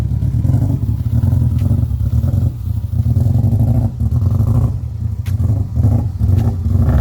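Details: Peugeot 206 rally build with a 2003 Impreza WRX EJ20 engine, untuned, on first drives: a rough, lumpy, stumbling note under load, as if running on three cylinders; engine misfire with the cause not yet confirmed.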